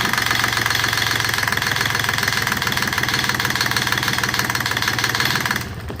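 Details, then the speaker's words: Rebuilt Yanmar 3GM30F diesel on first start in years: the small diesel clatters at a slow, uneven idle and fades out, idle set too low to run on its own and needing adjustment. "Woo! Yeah, we got to adjust the idle on that. That sounded good, puppy dog."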